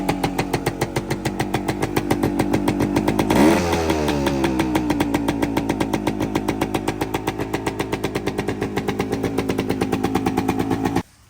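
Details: 1973 Suzuki TS250 Savage two-stroke single, revived after 25 years in a barn, running on auxiliary tank: crisp, even ring-ding idle with one quick throttle blip settling back cleanly, oil pumping properly; normal two-stroke idle.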